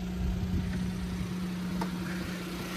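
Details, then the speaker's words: Suzuki Jimny with K6A engine: small engine idling with a steady even hum, no knocks or misses; healthy normal idle. "got the k6a sounds healthy over there"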